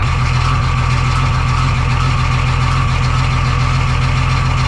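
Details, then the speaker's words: 1985 Ford truck with Hino Japanese diesel: heavy idle with a loud, steady low clatter tied to engine speed; oil pressure light/gauge flickering, knocking with low oil pressure. "What a wonderful sound it makes. That knocking sound. That's a good knob. It might go away."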